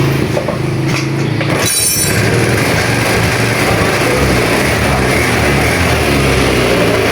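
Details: Honda Vario 110 scooter being checked for stuttering from ignition loss, running during tests of the CDI and spark plug cap. After brief handling clatter it settles into a steady, even run with no stutter or misfire: normal running.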